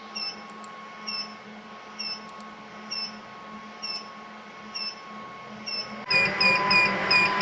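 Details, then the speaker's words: Smart switched power distribution unit demo box: short chirping alarm beeps about every 0.8 s over rising fan hum as AC fans push load to 3.2 A, beyond the 3 A threshold; overload warning and critical alert logged. "the AC fans never turned on you see we're now using three point two amps and the logging program can see it we should be logging that we have a warning and a critical"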